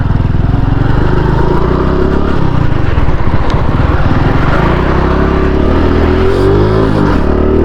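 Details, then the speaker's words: 2022 Honda Pop 110i motorcycle pulling away: a dry scraping clatter over the engine's low drone, at any rpm, felt as vibration from the front, seemingly the wheel or rim; owner suspects bent wheels. "eu não acredito o que pode ser esse barulho velho Deixa nos comentários com qualquer giro ela faz deixa ela meio solta ela fica fazendo Que barulho chato"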